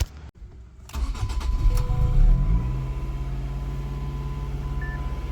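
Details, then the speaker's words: 2005 Ford Focus ST with codes P0183 and P0193: long uneven cranking churn before it finally catches and settles to idle. Hard start attributed to faulty fuel rail pressure sensor, recorded before replacing it. "some of the symptoms you get with a pressure sensor or a fuel pressure sensor not working correctly is a very hard start which I have here was a pretty hard start"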